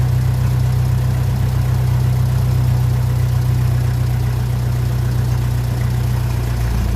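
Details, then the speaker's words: 1957 Ferguson 35 TVO tractor after damp storage, while adjusting the carburettor screw: low idle thumping at three to four beats a second with an uneven, lumpy pulse, and it won't run at slow idle. Fuel is suspected, and a tank flush is planned. "oh not happy to run to run slow at all not interesting just like that"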